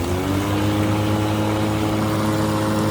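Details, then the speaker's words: Ryobi 36V cordless electric lawn mower runs with a smooth, steady, even hum and no knocks or wobble; normal running. "you get it can you hear the sound it's even musical right it's a musical song"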